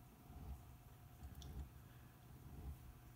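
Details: Old Kenmore Elite dishwasher not washing properly: during the wash phase after filling, only a faint, low hum is heard, far too quiet, with the motor barely turning. The wash motor is very weak.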